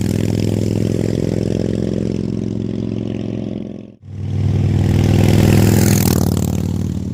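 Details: Salvaged 2000 Harley-Davidson Fat Boy V-twin, after flood restoration from 5 days submerged in Hurricane Ian floodwater: lumpy beat swells, drops, then climbs cleanly on throttle, no clatter; finally running and fixed, runs and revs healthily.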